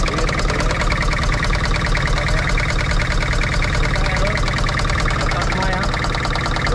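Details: Toyota Kijang Kapsul LGX 2L diesel, injector pump, nozzles and pressure checked good: clattering idle with an uneven knock about twice a second, rough running traced to a sticking valve shim before valve adjustment.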